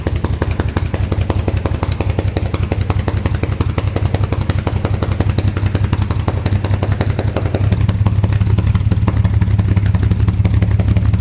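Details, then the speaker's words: 1938 SS Jaguar 3½-litre drophead straight-six, first start in over 50 years on a temporary install: ragged, uneven chuff with missing beats; cylinders five and six have no spark, so the spark plugs are to be swapped. "so we established surrender number four no five and six has got no spot so we're gonna swap out"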